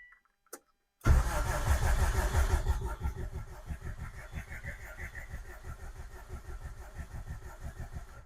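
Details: 2003 Subaru WRX engine compression test on cylinder four, throttle plate possibly closed: starter cranks about three turns a second with a somewhat uneven beat, fitting a weak cylinder with low compression.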